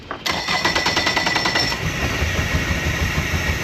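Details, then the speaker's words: 2017 Mercury 90hp 4-stroke Command Thrust outboard in guardian mode with 6-beep alarm and active fault codes: rattling start then lumpy uneven rumble surging and fading; rough running from a bad idle air control valve. "See, it's just really shaking, and so. Oh, there it goes. Okay, so it's like it's coming in and out."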